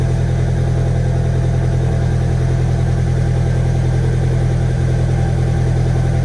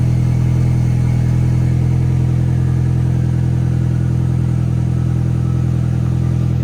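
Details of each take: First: VW 1.8T first start after rebuild, warm-up with oil smoke burning off: deep idle pulsing about three and a half a second, slightly lumpy like a light misfire; cam timing one tooth retarded (17 rollers). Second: 1.8T first start after rebuild, timing set at 16 rollers between marks (17 was wrong): steady, even idle with no missed beats, a faint light tick, and a little oil smoke burning off. Normal idle, no misfire.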